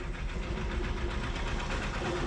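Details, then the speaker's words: Diesel truck parked 4 days in hot sun in Goa, would not self-start, jump-started from another truck's battery: catches and settles into even diesel clatter with steady low rumble; runs normally, battery condition unknown. "ಗಾಡಿನೂ short ಆಯಿತು. ಇವಾಗ ಮಾಮೂಲಿ ಎಲ್ಲ clean ಆಗೈತೆ."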